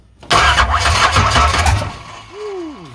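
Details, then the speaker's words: 1985 Chevrolet C10 with high-compression 383 stroker small-block, first start after 10+ years, choke applied: V8 catches, runs unevenly about a second and a half, then stumbles and dies; owner suspects accelerator pump not squirting properly. "I don't think it likes that time [Music] okay stay running two seconds longer we'll see if I can maybe keep it running this time"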